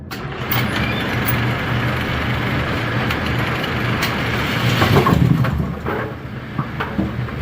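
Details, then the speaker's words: A2 pinsetter retested after replacing twisted, tape-wrapped wire connections, running 19 pins: loud churning clatter with a few clanks, no electrical buzz or stuttering; normal cycle. "We're only running uh 19 pins. No clickers."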